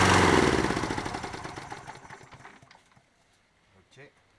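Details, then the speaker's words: Toro 20789 mower, Briggs & Stratton Intek engine with hot-restart trouble, non-ethanol 95/98 fuel, first test in rain: fires, runs unevenly a couple of seconds, slows and dies; engine works, carburetor cleaning suspected. "Fabuleux Intech. On sait que le moteur fonctionne, mais à mon avis ça va être nettoyage carbu."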